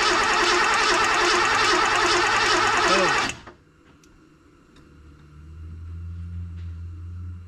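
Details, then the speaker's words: Ford Bronco compression test on a cold engine: steady, even cranking churn for about three seconds, gauge just over 100 and not bleeding off, consistent with a cylinder holding compression before comparing other cylinders. "it's not bleeding off one Mark over 100 on a cold engine some people say that's you know about common"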